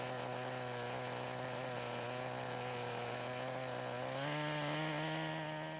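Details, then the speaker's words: 1988 Kyosho Ford RS-200 RC car, OS Max 10 FP-B nitro engine, second startup after restoration, warmed up; high buzzy whine holding steady then stepping up in pitch as the exhaust flap opens, tone change audible, clean normal running. "if you listen really carefully you can hear the change in engine tone when the little exhaust flap opens"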